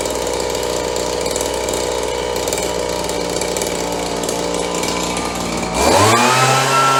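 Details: Roughly 30-year-old Stihl BG72 two-stroke blower after warming up: a raspy buzz at steady speed, then a clean rise in pitch as it revs smoothly; it now runs normally.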